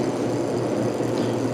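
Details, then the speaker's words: 1949 GE Vortalex 12-inch desk fan on low speed after the blade wobble was corrected: soft even whoosh over a faint steady hum, no knock or rattle; a little shaking remains but is acceptable. "A little bit of shaking, but it's an acceptable amount."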